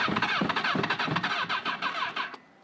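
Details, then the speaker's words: 1996 Honda CBR900RR that ran fine last summer but now won't start: the starter whirs at about three pulses a second with no firing. When it does start, it cuts out on throttle. "It turns over when it wants to, but after a while it just decides to cut out if I hit the gas."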